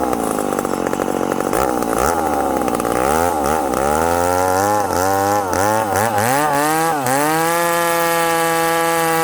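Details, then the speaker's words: Ported McCulloch Super Pro 70 (70cc) chainsaw, freshly fueled: screams to a high, clean rpm, with pitch dipping and recovering as it is dogged into wood; runs strong, though owner wants more pull when dogged in. "hey friends did you hear that wicked rpm now watch i'm gonna dog this thing in"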